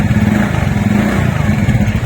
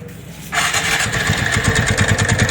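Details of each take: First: TVS Ntorq scooter after repair (loose magnet bolt on the right side of the engine tightened): even, steady engine beat at low speed, with the earlier right-side noise gone and no rattle or knock; normal running. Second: TVS Ntorq scooter starts and idles with a steady rattling knock, about three per second, from the magneto side; the flywheel (magnet) nut is loose and is to be tightened and locked.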